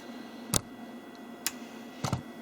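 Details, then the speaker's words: Commodore 1541 disk drive, earlier red LED stuck on and spindle always running, after swapping a 6522 chip between sockets: crisp ticks over faint steady hiss, then settles; normal power-up (fault later traced to DOS ROM at UB4). "put one of the 65 22s from a into B and seems to be booting up normally"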